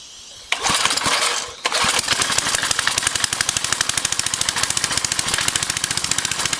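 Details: Briggs & Stratton 5 HP engine converted to run on propane from a barbecue grill tank via valve-metered carburetor; after a pull-start it catches and settles into a quick even single-cylinder beat, no missing.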